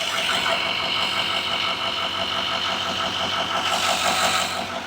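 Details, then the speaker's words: 2018 Chevrolet Silverado High Country L5P Duramax, 105,535 miles, after repairing a cylinder 4 misfire (P0204/P0300) and clearing codes: steady, even diesel idle clatter with no stumbles; all cylinders firing, running smooth. "It runs perfect. No more misfire."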